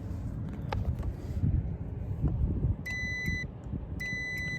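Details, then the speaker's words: York rooftop gas heating unit not heating (church): continuity meter on inducer pressure switch beeps twice when tube is pulled, confirming switch closes normally; possible sticking switch. "Okay, so the switch seems like it's working."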